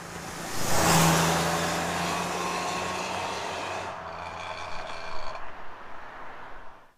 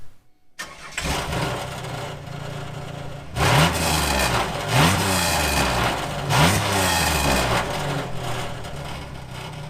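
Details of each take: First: 1997 Camaro 3.8 L 3800 Series II V6 with new Walker Sound FX 18235 muffler, heard from outside: deep even exhaust drone builds then fades, smooth and not overly loud; normal exhaust note. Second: 1997 Chevrolet Camaro 3800 Series II V6: catches, then rough raspy idle with loud uneven puffing blat, exhaust leak worsening daily.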